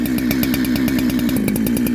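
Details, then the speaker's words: Ported chainsaw with a big-bore shotgun muffler mod, run at high speed in cuts while warming up: fast regular popping with an uneven burbling exhaust beat, four-stroking from a rich carb setting; owner says "sounds way fat". "It sounds way fat. You hear it? Way good."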